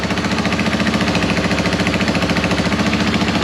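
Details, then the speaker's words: Yamaha YFM225 ATV single-cylinder, first start after rebuild and oil priming: steady idle about three and a half beats a second with a sharp chuffing tick each pulse, suggesting a small exhaust leak; some smoke, likely burning WD-40 and penetrant, no oil leaks. "sounds like we have a bit of an exhaust leak over here a little bit of smoke coming out that's quite normal"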